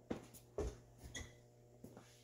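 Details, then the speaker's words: 1970s–80s Ford/Mercury/Lincoln right rear door before striker bolt replacement: latch gives loose clicks and light thuds instead of a solid catch, door not shutting properly. "All right, last one, right rear. Hear the clicking? Don't shut good."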